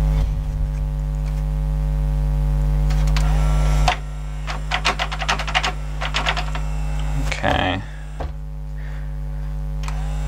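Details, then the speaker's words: Kenwood XD-351 mini hi-fi (1998) CD changer: steady mains hum, then patchy light clicks and taps as changer struggles; owner suspects busted or slack changer drive belt, later found loose and replaced. "sounds like the CD changer belts busted [Applause] on I don't know might not be might be just do it slack"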